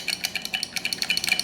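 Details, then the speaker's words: Original first-version Singular Sound BeatBuddy footswitch: sharp, tinny, rattly clicks several a second with no body, a noisy footswitch compared with later versions. "But this one, so you can hear, it's very noisy."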